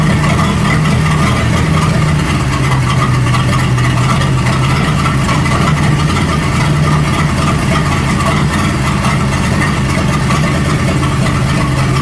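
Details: 1937 Buick Roadmaster with an apparently rebuilt Stromberg carburetor, after the idle screw and idle mixture screw were set: a steady, even low-pitched idle at constant speed with no hunting or stumble. It sounds much better but still needs fine tuning. Normal idle.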